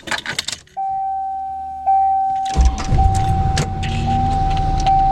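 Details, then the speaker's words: 1992 Chevrolet Corvette C4, manual, after Idle Air Control valve replacement and idle relearn (fixing hard warm starts and low cold idle): cold start flares just above 1000 rpm, then a steady even idle without hunting. Normal cold idle. "so it started up went a little above 1000 rpm it's gonna settle back to about a thousand and then after it warms up it settles out at about 800 i think or something like that"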